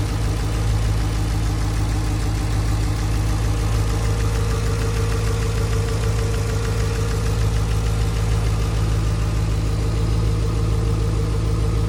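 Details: 2017 Chevrolet SS sedan (Holden Commodore) LS V8 idling with an uneven, lumpy beat and a periodic dropped pulse; misfire at idle, cause unknown.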